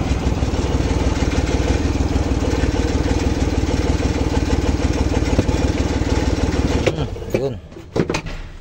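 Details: Rusco Multicab, hard morning starting after two carburettor overhauls, now with a whole new carburettor fitted: smooth, even idle with a steady low beat and no stumbling or misfire before shutoff; normal idle.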